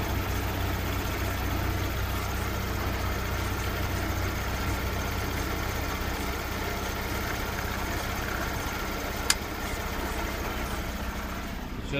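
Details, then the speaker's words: Lada Priora, 124 engine, idling: thin steady whistle from the gearbox that changes as clutch is released; release bearing squealing, after clutch replaced twice, gearbox rebuilt and crankshaft thrust half-rings replaced for clutch-release knock. "отпуская пошел свист дикий свист свистит прямо из коробки"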